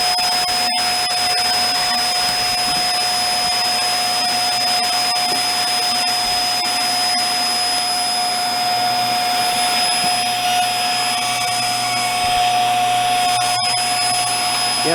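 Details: Hoover Air Steerable (WindTunnel) vacuum on a mild day: a steady motor roar with a thin, constant whistle from the top. The hose is found plugged and suction at the hose is weak, while suction to the brush stays strong.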